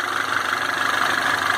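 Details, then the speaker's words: Citroën C4 Lounge THP after cold start: early diesel-like clatter has faded, now an even steady hum with light mid-pitched whir, no rattle or ticking; warm engine idling smoothly, noise described as chronic to this Citroën. "Tá sereninho o motor agora."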